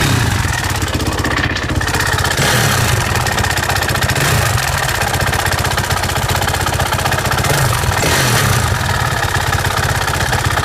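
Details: 2007 Suzuki RM-Z450 single-cylinder dirt bike at idle: light, fairly quick ticking over the steady engine thump; owner unsure whether it's normal.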